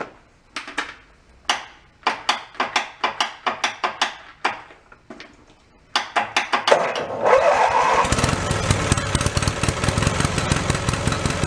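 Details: Mid-1980s Snapper riding mower pulled from a dump, in neutral after transmission work: a dozen or so separate cranking bursts, then it catches and settles into an even, steady single-cylinder putter. It starts and idles fine.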